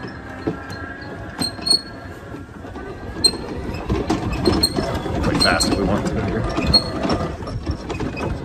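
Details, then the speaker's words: Ryobi RM480E electric riding mower, about 5 years old: short dry squeaks come and go in the steering as it drives and turns. The squeak persists despite several attempted fixes. "the other thing the only other thing i really don't like about it is the steering has developed a weird squeak let me hear if i just start driving around as things move around you can hear that squeaking noise"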